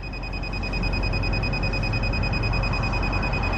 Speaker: done riding yep and ride and you hear it beeping at me too it's signaling that it's done and I've ended my